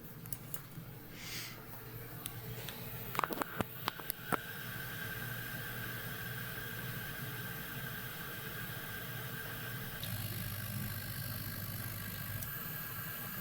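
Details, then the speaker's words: 3D printer servo motors under closed-loop FOC control with Klipper, mic right against the motors while homing: a few light clicks, then a soft steady hiss; quiet, smooth, normal operation. "So as you can see, the motors are pretty quiet. Most of the noise you hear is hissing, but in an enclosure, obviously you wouldn't really hear much of that hissing."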